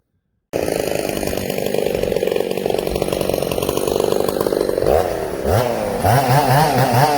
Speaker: Can you hear this saw loading up a little? This saw has a weak clutch on it, coarse thread 266 clutch.